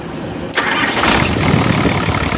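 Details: Hino Lohan diesel truck, which stalled when braking and needed throttle to start, after injection pump (bospom) adjustment: short crank, catches at once and settles to a steady even idle; starts cleanly.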